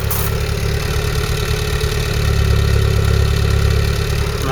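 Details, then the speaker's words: Rescued 2.0 Pinto-engined Ford Cortina Mk3 GXL auto, stationary in a field since 1983, warm, idling at the rear near the exhaust after timing, points, oil and coolant flush; original carburettor. Even low idle, steady exhaust note, no miss, tick or knock. Normal idle. "now listen to this it does sound a nice"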